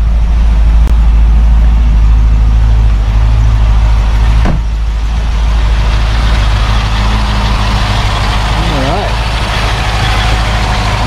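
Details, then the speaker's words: 1972 Mercedes-Benz 280SE 4.5 V8 after adjusting the right-bank valves for a slight tappet noise, cold start, in park at about 1,000 rpm, heard outside: quiet, smooth idle with a steady low rumble and no tapping; the engine is healthy. "Nice quiet engine. we're ready to take it on a test cruise."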